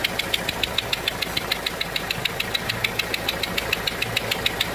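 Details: Renault 1.5 dCi diesel at idle: sharp, evenly spaced rapid ticking, compression loss through one injector's leaking seal.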